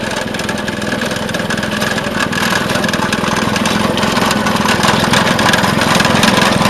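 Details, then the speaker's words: Vintage Craftsman 18" snowblower, rebuilt 3.5 hp Briggs single-cylinder, after carb fine-tuning: steady, even beat about three and a half per second, no surging or stumbling; running healthy. "Alright, I got it fine-tuned, and we're ready to take it for a spin."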